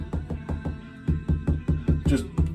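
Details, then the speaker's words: Wall tile re-glued, tapped 24 hours later after the tape was removed: quick, dull, solid thunks with no hollow ring, showing the tile is firmly bonded. "thunk thunk that's what you want to hear"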